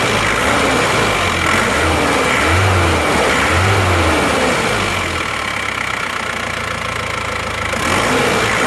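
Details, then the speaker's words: Isuzu Panther diesel after rebuild, lower timing gear just replaced, used replacement block: steady, even idle clatter at about four beats a second with no knocks or misses; smoother and even, though slightly louder than another Panther. "lebih halus ya ini suaranya dan rata"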